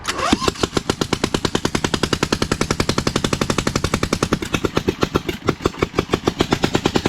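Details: Newly fitted engine on a Lesco Viper 54" zero-turn with no exhaust or muffler; the shutoff doesn't work, so it is choked out. Very loud, sharp, uneven exhaust cracks; running on one cylinder.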